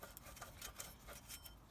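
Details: Peugeot 107 / Toyota Aygo / Citroen C1 1KR-FE engine, pump turned by hand after belt failed: dry gritty scraping with uneven ticks each turn; worn water pump bearing, replaced along with belt and antifreeze.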